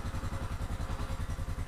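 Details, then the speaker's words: Scorpio motorcycle engine idling with an even low thump and a rough, clattery edge; rpm not normal. Owner suspects the coarse sound comes from the clutch, and valves may need adjusting; cause not confirmed. "terus kalau dari suara kalau Scorpio emang suaranya kasar ya itu terdapat di bagian kopling"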